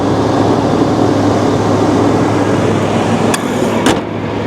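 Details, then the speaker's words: Old truck at auction, AC needs charge; steady, even low idle under outside noise, a couple of sharp clicks as AC compressor clutch engages; engine sounds healthy: normal idle. "yeah it sounds all right the engine sounds healthy"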